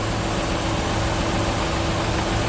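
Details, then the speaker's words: 1997 Chevy Venture idling just after starting from long storage, new starter, recharged battery; uneven lumpy beat under a steady hiss. Owner suspects bad old gas, oil and water checked good, idle clearing up shortly after. Rough idle. "It's running rough, but it's running. It's coming around. It's coming around. That gas can't be any good in it. Yeah, it's running a little bit rough."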